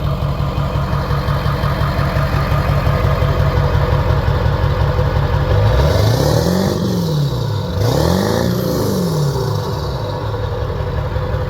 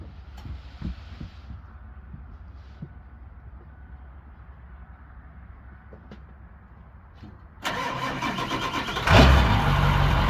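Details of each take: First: 7.3 Powerstroke diesel just fitted with a KC300X turbo, new downpipe and stack, first start; steady chuff idle with two quick revs and a puffing at the stack: small exhaust leak at the stack joint. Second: Ford 7.3 Powerstroke diesel, first start after KC300X turbo, downpipe and stack install, no coolant, exhaust unfinished: cranks, catches quickly, settles to steady even idle; quieter than before, small leak at stack.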